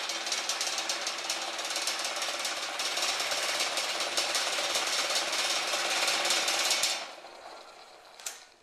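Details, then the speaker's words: Homemade DIY buffing machine on an old work table, powered from a power strip: fast buzzing rattle of about three beats a second over the motor's high whir, then spin-down. Loose table screws shaking. "now you hear that rattling sound, that's just the table. I've got to tighten a few screws on it, it's pretty old."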